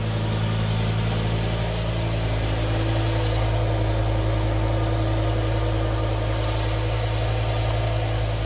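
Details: BMW E60 M5 S85 V10 first start after reassembly and coolant fill, before the VANOS bleed: smooth, even idle with a steady low hum and no knocks, misfires or ticking; some smoke comes from silicone on the plenums.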